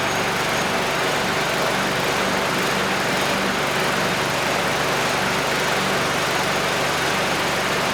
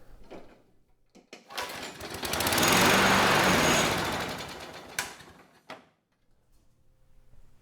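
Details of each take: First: Curbside Craftsman mower 917.376655, Briggs Quantum 122T02 engine, after lowering the lift so fuel reaches the carb. Fast, even small-engine buzz holding a steady speed without stumbling or surging. Runs normally. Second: Curbside Craftsman mower 917.376655, Briggs Quantum 122T02 engine, hand-primed, no choke. Catches and runs a few seconds with a ragged firing beat, then fades and quits. Won't stay running; owner suspects fuel level too low for the carb.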